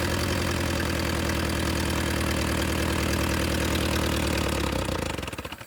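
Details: Willys CJ2A Jeep, old four-cylinder on first run, no coolant flowing: chugs at idle with slightly uneven, loping beats for several seconds, then shuts off and coasts down; rough idle, owners think idle adjustment is probably off.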